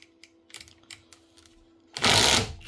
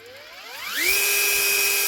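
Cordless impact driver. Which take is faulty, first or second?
first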